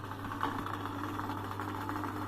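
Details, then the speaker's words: Samsung front-load washing machine that wouldn't spin because of a drain blockage, switched to spin mode after repair: the drain pump starts with a steady, even low hum and faint buzz, no grinding; normal drain pump operation. "Bơm bắt đầu hoạt động này các bạn nghe tiếng cơm này"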